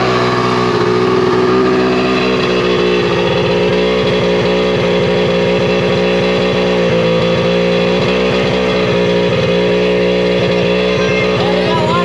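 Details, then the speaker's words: Tigershark jet ski run on a water hose after water removal, two-stroke holds a fast raspy buzz with small surges and won't cut off; engine run-on, stopped only by unplugging the spark plug. "chris smashed the throttle and it just kept on going and going mark it it wouldn't cut off"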